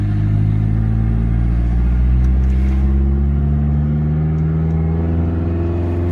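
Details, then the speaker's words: Turbocharged project race car on stock ECU with bigger injectors: pulls up through the revs but turns ragged near 4,500 rpm, disliking flooring and anything over 4.5k; misfire at high rpm from untuned ECU. "Yeah, it's still cracking a little bit at 4.5. Yeah. It kind of struggles. Obviously, this is the stock ECU with the bigger injectors, so it doesn't really know what to do."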